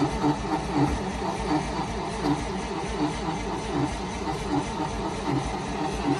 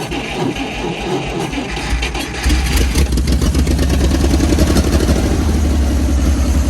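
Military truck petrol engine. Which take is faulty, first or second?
first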